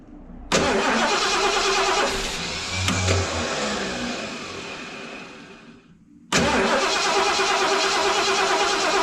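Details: 1975 Lincoln Continental Mark IV revival, hot-wired, in park, fuel poured in, choke partly off: steady cranking about three turns a second, pause, retry; never fires; spark and electric choke uncertain, starter being replaced.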